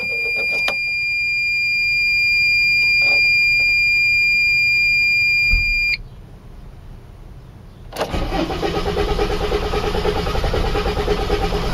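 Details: Freightliner turbo diesel: several seconds of steady whining cranking, a short pause, then it catches and settles into a rough idle; hard starting.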